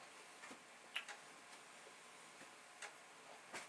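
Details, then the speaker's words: Commodore 1541 disk drive after chip swaps, formatting a disk in a looping torture/burn-in test: quiet, crisp head ticks at uneven half- to one-second gaps over a near-silent background; normal head stepping. "and then we will see. So you can hear the head doing its thing. I think what we're going to do here is let this run through once."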